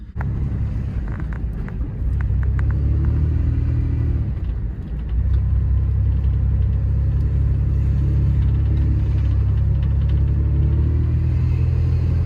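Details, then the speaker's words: 1998 Toyota 4Runner test drive after replacing the CV axles (one broke inside the differential) with new ones: steady road rumble and engine hum with no clicking or binding through turns, quieter than the old OEM CVs; normal driving. "Everything's sounding normal um nothing sounds like it's binding up or anything when I'm turning and the new CVS definitely are making a lot less noise than the old uh the old OEM ones that I've had in the truck forever"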